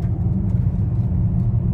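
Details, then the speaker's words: Volkswagen Touareg V10 5L biturbo, on a road test after repairing a turbo intake pressure loss (codes P2279/P0299, previously limp mode, black smoke, judder) and clearing the faults: smooth, even low rumble with no surging while driving. Normal running; no limp mode or smoke. "à première vue tout va bien en quelques secondes il se mettait en mode dégradé"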